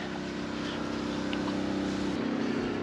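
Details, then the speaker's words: 2009 Lincoln Town Car sitting low at rear: air suspension pump running steadily as car rises, with faint hiss of escaping air at the rear; right rear airbag leaking, to be replaced with new air springs. "but if you come over here hear that [Music] sound yeah so airbag is leaking for sure yeah I can hear it"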